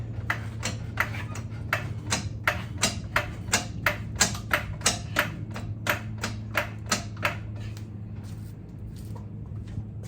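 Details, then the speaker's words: Jeep Grand Cherokee ZJ with locked diff, after owner broke something showing off: sharp clicks about three per second as wheel turned, fading near end; rear locker ratcheting on one side. "so I can hear the lock the locker ratcheting on this side um same thing"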